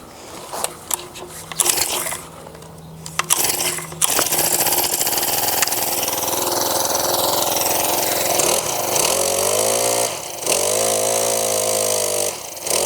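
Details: Brand-new Mantis 7940 tiller, just assembled, with fresh oil and fresh gas, primed and started: after a few starter pulls the small engine catches and runs steadily with a buzzy high note that rises and settles cleanly; healthy start.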